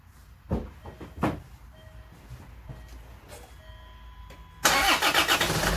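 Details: Land Rover Freelander 2 2.2 TD4 diesel started after partial coolant drain during thermostat replacement (thermostat was opening too early, heaters blowing cold), top hose empty and cold: quiet clicks, then engine catches and settles into steady, even idle with no knocks.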